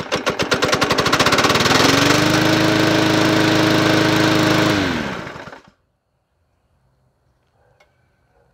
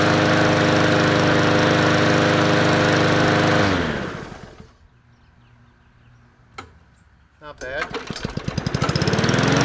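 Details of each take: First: Yard Machines 20" P510 push mower with Powermore engine, sold as non-running, starts after three primes into a hard, fast knock near four beats a second, then dies; sounds like rod knock, oil smell, cause unconfirmed. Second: MTD Yard Machines 20-inch push mower with Powermore engine, bought as a non-runner, after adding oil: runs smoothly with an even beat and no knock, shuts off, then restarts and winds up cleanly. Sounds healthy.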